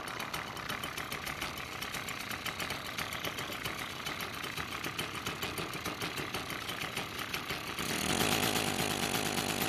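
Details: Echo two-stroke trimmer that starts but won't rev: uneven buzzy popping at low speed that never picks up, bogging near idle. Carburetor suspected as the usual cause; throttle cable or butterfly also considered, not confirmed.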